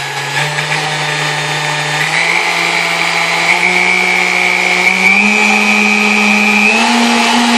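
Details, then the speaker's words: Vintage Kenmore stand mixer, apparently Westinghouse-made, after service with dry bushings' wicks packed with oil: smooth motor hum climbing step by step through speed settings, no screech (previously from lack of lubrication); normal running. "all right sounds like a pretty powerful piece now it doesn't make screeching noises anymore that was due to lack of lubrication"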